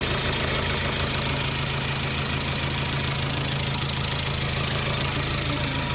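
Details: Chevrolet Aveo at idle with a light, fairly regular tapping about three times a second over the engine hum. It is an abnormal engine noise with the source unclear.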